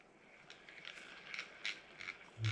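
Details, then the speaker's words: Brand-new Penn Spinfisher 440SSG reel cranked out of the box: quiet rasping bursts about twice a second, from the main gear flexing and wobbling in the housing, not bad bearings; the fix is shimming. "that sound there that's because the uh the main gear is flexing inside the the housing means this thing kind of wobbling a little bit"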